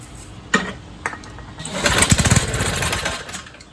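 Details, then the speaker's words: 1970s trike, believed an MTD Mud Bug, with a roughly 5 hp John Deere replacement engine, sat 5–10 years: a few sharp pops, then a short ragged run fading out on starting spray. Not drawing its own fuel; debris coming off the float. Runs only on starting fluid. "Running off the spray. Oh, just jumping the lines."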